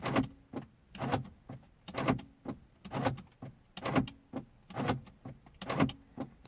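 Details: 2003 Mercedes C220 W203 driver door lock, after its broken spring was replaced with a made spring: short motor whir and firm clunk about once a second, each cycle crisp and alike. Normal lock operation.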